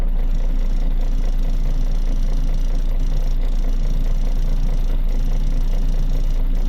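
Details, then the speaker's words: Isuzu Forward diesel truck previously stalling and hiccupping (P0336 crankshaft position sensor): after repair and clearing codes, no fault codes, steady even idle around 150 beats a minute, no hunting, needle no longer fluctuating; normal idle. "Code कोई नहीं है। हमारी गाड़ी लगभग सही हो गई है।"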